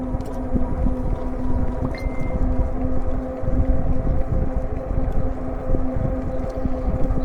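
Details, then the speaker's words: E-bike cruising on pavement at about 14.5 mph in pedal assist 2, gear 7, on a slight downhill: only a steady low tyre hum and wind, with the motor barely audible; normal quiet running. "And this bike is very quiet. The only thing you basically hear really is the tires humming on the pavement here. The motor is really quiet."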